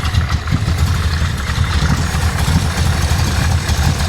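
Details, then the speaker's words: 560 hp carbureted V8 in an Impala on its first drive, warm but not at full temperature: loud, choppy idle with an uneven lope and irregular pulses, idling too low; choke mostly closed, suspected flooding from too little air. "That choke is closed. See, choke is mostly closed on it. She can't breathe, right? I don't think so. It probably is flooding. She's not getting enough air."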